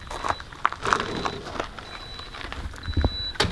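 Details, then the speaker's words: RV flooded lead-acid battery, Victron battery monitor after a week and a half of camping, beeping even after switching from storage to use mode: high, clear beep in short pulses about every second amid rustling; low-battery alert. "but it's beeping with a low battery alert okay so that's bad right and that's very unnormal"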